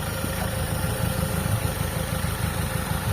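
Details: Carbureted car engine after tuning, intake port opened: low, uneven idle that stumbles and shakes; the port had given weak vacuum reaction and was found clogged, and the opening acts as an unmetered vacuum leak.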